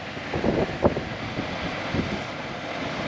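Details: 2012 Chevy Malibu heater blower with new blower motor resistor temporarily plugged in, after heater stopped working: blower spins up into steady rush of air with a few soft bumps, no squeal or rattle; running normally.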